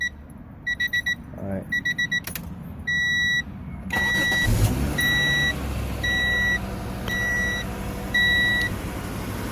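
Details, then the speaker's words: 1994 Acura Vigor GS after replacing exhaust pipe and muffler, recorded from underneath: after chimes, engine starts and settles to a low quiet idle with no puffing or rasping; exhaust sounds sealed, no holes. "so that's what the exam sounds like nice and quiet right you guys don't hear it anything sound like there's any holes right"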